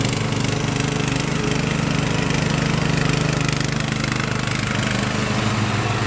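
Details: Craftsman LT1000 riding mower after Briggs & Stratton engine swap, warmed up, blades engaged mowing tall grass with unsharpened used blades: steady, even drone, pulls the load without stumbling or surging; healthy.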